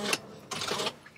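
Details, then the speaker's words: Mercedes Sprinter van, key inserted into the ignition: two short crisp clicks as the electric steering lock circuit completes, which is normal. With the lock unplugged there is no sound and the key cannot be turned. "Okay, that circuit, that sound is the sound of the circuit being completed. That assists you with the steering lock."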